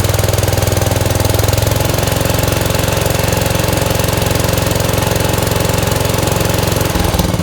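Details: 1971 Gravely 430 with Onan NB twin, after a Chrysler ignition module fixed weak spark: a strong, even thumping beat with no misses or stumbles while pulling steadily; firing cleanly.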